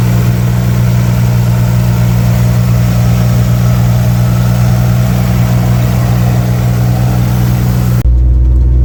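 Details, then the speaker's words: 1964 Chevy II Nova straight six just started after sitting about a year: deep steady idle, even low beat, no misses or knocks; running smoothly. "Well, that was easy. can't believe how good it runs. It's super smooth."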